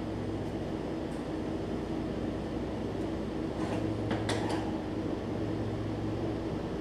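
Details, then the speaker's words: Troy Bilt Mustang 50-inch zero turn mower, muffler had fallen off, idling parked: loud, raw, blatty V-twin drone with hard exhaust bark, little muffling; exhaust leak, muffler detached. "come still pretty loud oh I got the drive disengaged hold on oh stupid me didn't set the park brake you can hear it though I mean it's a little quieter that muffler ain't doing much"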